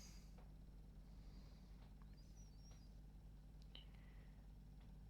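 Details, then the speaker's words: Sony D-ES51 Sports Discman sold faulty, after lubricating the laser rail: very quiet ticks and squeaky chirps as the pickup hunts without settling; unable to read disc, laser suspected burnt out. "no i can hear the laser trying to read it okay so she's still doing the same thing"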